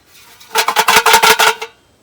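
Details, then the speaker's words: Rusty muffler off a Kohler Courage 19 hp Ariens garden tractor, shaken by hand: about ten quick sharp metallic jangles in just over a second from a loose internal baffle; muffler to be cut open and baffle removed or welded back. "You can imagine the noise that makes when it's running. So there's a baffle inside that is loose."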